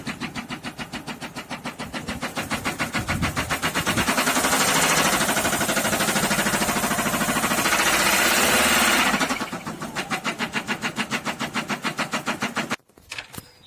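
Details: SsangYong Kyron D20DT diesel: a hard, regular knock about three per second at idle that blurs as revs rise; 4th-cylinder rod bearing failure from oil starvation after the mechanical oil pump failed, with no codes and no oil warning light.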